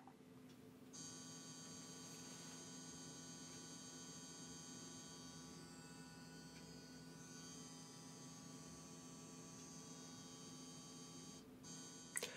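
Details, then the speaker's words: Sony PS5 at launch: an even, steady buzzing hum over the fan that never changes pitch, suggesting a defect; rattle caused by a loose label catching the fan. "das ist kein normales geräusch das ist das an sich deutet das auf einen defekt hin"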